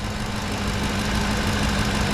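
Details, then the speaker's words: 2010 Ford F-150 5.4 V8 that the dealer said needed a new engine, oil pressure good: smooth even idle with steady low hum, no miss or knock; healthy. "we got oil pressure yeah we do have oil pressure to try here it's good [Music] foreign it actually sounds dang good"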